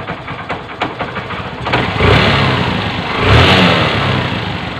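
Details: Honda CB 125 single-cylinder after piston ring and valve seal replacement, still to be adjusted; idles evenly, takes two quick throttle blips and settles smoothly, sounding normal.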